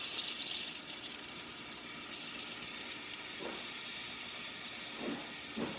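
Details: Breville BES840XL espresso machine after a completed full service/tune-up, verified running correctly: steady even steam hiss with no buzzing or sputter; steam wand operating normally.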